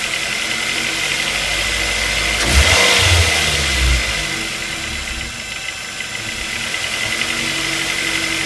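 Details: Ford Focus 2 with 2.0 Duratec engine idling: steady light knock about four per second from lower front of engine, near crankshaft pulley and A/C compressor; exact source not yet pinned down.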